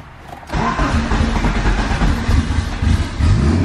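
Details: Built turbo B16 EF Civic hatch after reflashing its original tune file: quiet moment, then it catches straight away and settles into a steady, deep idle; normal start.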